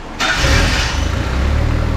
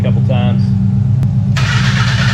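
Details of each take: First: Barn-find Mazda Miata: cranks briefly, catches cleanly and settles into an even, steady low idle with no misses; it pumped 30 pounds while cranking, judged healthy. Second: Barn-find Mazda Miata: starter spins steadily at about four beats a second for six seconds without catching; no fuel getting through and the pump was not heard kicking on, so it is suspected not running (check fuses and relays).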